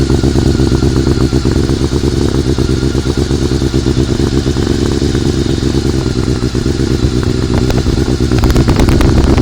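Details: Honda CBR400RR at idle after riding at Ebisu Circuit, recorded on a phone: loud, steady idle with a rough metallic clatter; the abnormal sound is suspected to come from the cam gear train, not confirmed.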